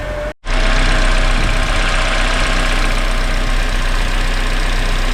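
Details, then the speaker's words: Rebuilt Acura TSX, started after sitting a while, alternator bent in an accident and patched with gasket maker: steady idle with faint rough, gritty rumble and thin high whir; owner suspects tensioner or alternator bearing, unconfirmed. "Kind of sound like the tensioner, but also sound like the alternator bearing sounding a bit rough. So, we'll just have to kind of keep an eye on that."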